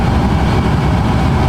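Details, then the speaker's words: Brand-new aftermarket blower motor run on jumper wires at full speed while measuring current draw with an amp clamp: steady, even whooshing roar, no ticking, scraping or wobble; spins smoothly. "I'm gonna plug this one in. We're gonna see what our current draw is. Just out here. That's full beans."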